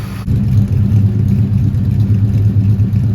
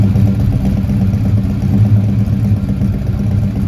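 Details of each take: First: 1971 Dodge Demon 340 V8 driving after valvetrain repair: even, deep, smooth rumble with no more ticking from the top end; engine running healthy. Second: 1971 Dodge Demon 340 V8 idling after valvetrain work: fast light lifter tick over lumpy idle; number 8 now quiet but number 3 ticks persistently, lifter suspected not pumping up, so the valve cover comes back off.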